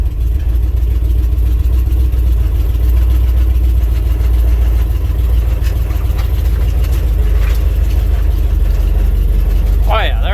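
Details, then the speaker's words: 1967 International 1200 truck idling after a carburetor rebuild: deep, even low rumble with no misses, knocks or hunting; running smoothly like a sewing machine. "things just running like a sewing machine since that carvery but rebuild"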